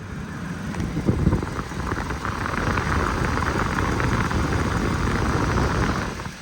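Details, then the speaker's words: Ford Ka at idle, coolant topped up (heater blowing cold, blower resistor suspected): steady even rushing of the radiator fan, no rattle or scrape; fan cutting in and running properly. "so it's not the Fan's kicking in in and out so that's good"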